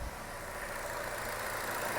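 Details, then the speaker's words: 2016 Chevy Cruze 1.4L after a one-part replacement (clicking noise and code P0496): quiet, even idle with no clicking; engine works as it should. "and as you can hear we have no clicking noise which is great the engine works as it should"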